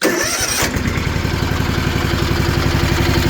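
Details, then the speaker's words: Rebuilt Kawasaki FR730V twin on a Cub Cadet mower, lost power after getting wet: fires up into a lumpy, uneven idle with a skipping beat, won't rev toward its 3,600 rpm; one cylinder not firing. "Sounds pretty good, don't it? No, it don't. Let's see if she revs up. I couldn't get it to rev over That's wide open."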